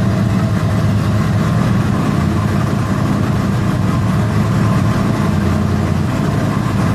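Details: LQ4 V8 with comp LSR cam and FAST 102mm intake, warm: steady, even burble with a smooth low rumble, idling slightly high.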